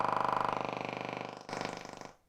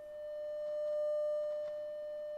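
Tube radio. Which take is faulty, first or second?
first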